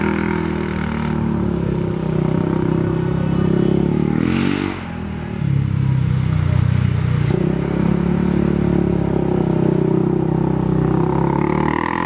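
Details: Polaris 570 ACE engine rebuilt after a dropped crank and rod caused a hard knock; new crank, valves, buckets, high-compression parts; settles into even, steady idle with a brief blip, no knocks or rattles, runs healthy.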